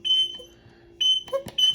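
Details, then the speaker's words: Zama carburetor check valve under pressure test: short, sharp, high-pitched squeaks each time air is pushed through; the valve holds vacuum one way and passes air the other, so it works properly. "now I'm going to put it on pressure and you can hear it squeak when the air goes through it"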